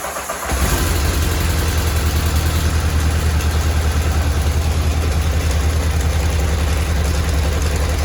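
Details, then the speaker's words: 1984 Honda CBX750 after carb rebuild, first start on choke with clutch in: catches at once and runs fast with a steady busy clatter. Front rattle; owner later blames the starter chain and orders a new chain and tensioners. "But the front seems to quieten down a little bit, but I can still hear a little bit of a rattle."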